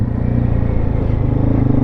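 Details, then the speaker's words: 1996 Yamaha Wolverine 350 4x4 ATV, air-fuel mixture screw set 2.5 turns out, early cold morning first ride: quick, even single-cylinder thumping at steady idle, no stumbles or hiccups; idles perfectly. "So I have it set at 2.5 turns out, and this thing runs perfectly. It has no hiccups at all. Idles perfectly."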